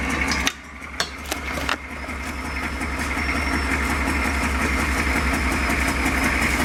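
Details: Lowered 6.2 diesel Suburban at rough idle with a terrible exhaust leak: a sharp puffing chuff on every firing pulse, growing steadily louder. The fix is replacing rusty pipe with pipe from the junk pile.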